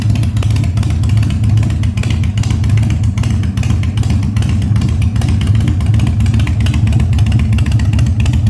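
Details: 1997 Harley-Davidson Fat Boy after carb cleaning, new spark plugs and new battery, no air cleaner fitted; cold start on choke at 70°F, humid. Deep, even V-twin rumble, steady firing on throttle blips, no popping or stumbling; revs normally.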